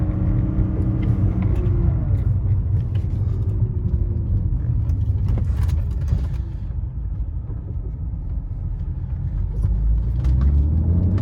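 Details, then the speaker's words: 1998 BMW E36 M3, S52 engine with Turner tune, under acceleration after new cam sensor cured hot no-start: deep, even drone pulling steadily with no knocks, misses or rattles; engine healthy. "pulls really nice for an s52 a 24 pound turner tune"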